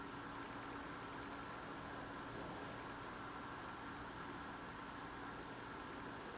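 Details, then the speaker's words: Loud unidentified idling drone outdoors at night, recorded through a frozen-shut window in freezing cold; the owner says it is not a generator. Faint, constant low hum with no change in pace; source unknown. "And the noise I hear outside is so freaking loud. I can hear it through the window."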